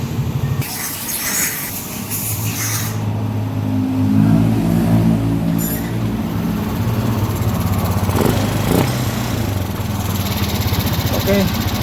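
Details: Yamaha NMAX scooter after draining water from fuel tank and cleaning injector: engine cranks, catches and settles into a steady even beat with light blips, no misfire; normal running after repair.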